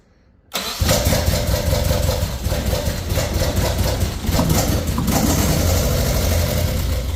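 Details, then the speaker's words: Nissan 240SX after fuel system rebuild (new fuel pump, cleaned tank, new lines, new distributor cap): starts and idles unevenly with irregular low thumps, sounds like only two cylinders firing; misfire, owner suspects bad injectors. "H I could tell you now it definitely does sound like it's on like two cylinders or something could be a dirty"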